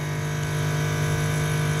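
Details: 1969 Dodge Dart 4-door, about 41,000 miles, original and sat since 1988; engine not running, key on, heater fan just loosened up: steady even low hum, constant pitch, no ticking or scraping, blower running smoothly but loud.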